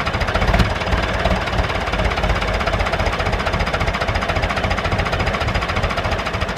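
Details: David Brown 996 diesel tractor, left sitting about 10 years, restarted: rough clatter ticking over at roughly three to four beats a second, holding speed steadily; normal idle. Throttle noted as stuck.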